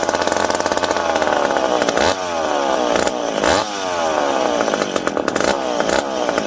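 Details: McCulloch PM700 two-stroke chainsaw, newly ported and on first run, not yet broken in, cutting wood. Crisp, even scream that dips and recovers cleanly with no stumbling or misfire. Normal running under load.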